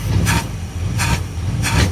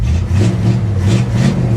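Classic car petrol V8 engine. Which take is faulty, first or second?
first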